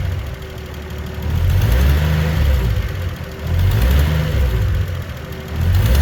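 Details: Toyota 1JZ-GTE turbo six idling and blipped: rough puffing tick under the exhaust from a leaking exhaust manifold/turbo gasket.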